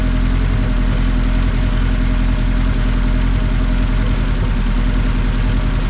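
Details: KRX first start after a budget 500HP+ fuel system upgrade and a newly added idle control valve, recorded from outside on a tripod: steady, deep, even rumble with a quick regular pulse and no knocks, misses or rattles, running healthy.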